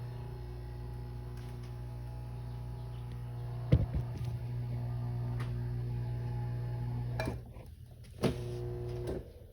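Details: Garage door opener after replacing burnt-out start capacitor that caused a delay on pressing the button: steady low motor hum runs evenly for several seconds with brief clunks at the stops; opener now works with no delay.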